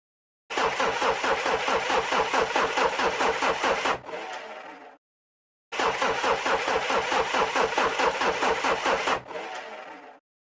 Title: My car needs looked at (won't start)